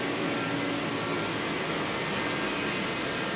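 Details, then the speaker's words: Reddy Heater Pro 150 after nozzle cleaning and new fuel lines: reset pushed, blower gives steady rushing noise with no burner roar or ignition thump, heater never fires, then trips the reset and shuts off; nozzle suspected. "it's not starting up. Then it trips the reset and shuts itself off."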